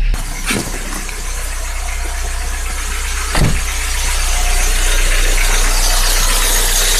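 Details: Skoda Fabia 1 1.4i 8-valve after valve cover removal, gasket replacement and valve check for oil leak: catches after brief crank, settles into steady even run with light regular tick; sounds healthy.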